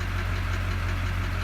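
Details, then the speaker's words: 2001 Chevrolet Duramax 6.6 L diesel at idle, injector number 6 disabled and re-enabled with scan tool: steady low idle with light even tapping that disappears when number 6 disabled; faulty injector number 6 confirmed. "So we're gonna disable it one more time. And again, this is to confirm the tapping coming from injector number 6."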